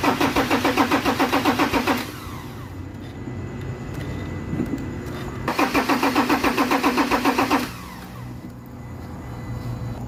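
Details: Ford Ranger 3.2 diesel that won't start after a knocking repair, cranked to check fuel pressure: two bursts of quick, even starter cranking of about two seconds each, with the engine never catching: crank, no start.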